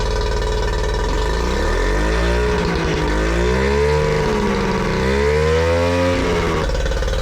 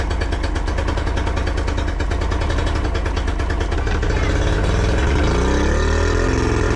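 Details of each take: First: Yamaha 40 hp two-stroke outboard after replacing cracked fuel lines (had cut out under load, rough idle): revs up and down smoothly, settles to even idle; healthy, no problems at high revs. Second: Yamaha 40 hp two-stroke outboard cutting out under load: uneven, stumbling low idle with lumpy firing, blue smoke and unburned fuel in exhaust.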